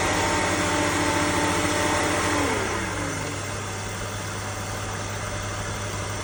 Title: E60 530i M54B30 whining noise 1500-2000RPM